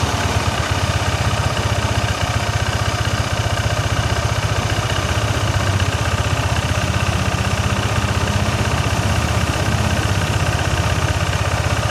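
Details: First-generation Yamaha NMAX with an ISC sensor: a steady, quick, even beat held well above normal idle, the rear wheel spinning without throttle, and it is slow to come down. High idle.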